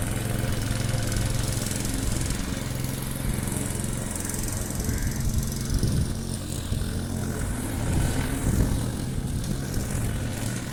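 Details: Briggs & Stratton Quantum engine on a Clipper lawn mower after spark plug work (previously wouldn't keep running after winter): steady buzzing drone dips slightly biting grass, recovers cleanly; normal running under load.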